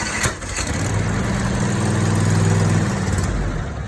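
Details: Garden tractor with a Briggs and Stratton 22 hp 656cc V-Twin, Series 7220: a couple of clicks, then even starter cranking for about two seconds with no firing; cranks but won't start, cause unconfirmed.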